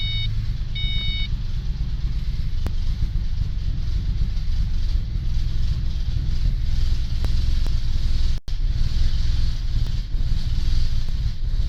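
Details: 2005 Ford Mustang 4.0 L V6, 63,000 miles, with cold air intake, tune, new plugs, wires and coil: deep, uneven lumpy rumble at idle, plus backfiring, stalling and revs hunting up and down.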